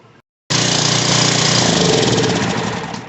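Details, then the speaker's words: Ryobi RY802900 2900 psi pressure washer small engine after carburetor repair, briefly run: fires on the first pull and holds a steady, even buzz without surging or stumbling; runs normally. "Just fire it up for a second to make sure it runs. Don't run it without water or you'll burn the pump up."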